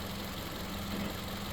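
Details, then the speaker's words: 2013 Toyota Camry idling smooth after switching from 0W20 to 5W30 oil, water bottle on engine shows no shake; quiet, steady low hum with an even pulse, no knocks or ticks; no leaks or oil consumption, healthy idle. "The motor's running. And this is a 2013 Camry. '13, she's still clean. She's idling smooth."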